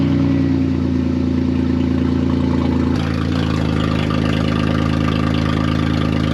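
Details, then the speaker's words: Saturn VUE with rusted exhaust: engine runs with a loud, raw, blatty roar like an open header because the flex pipe came completely off; to be fixed by welding in a new flex pipe and pipe. "oh she's a little loud uh it's kind of cool just to hear it but not cool on a daily basis"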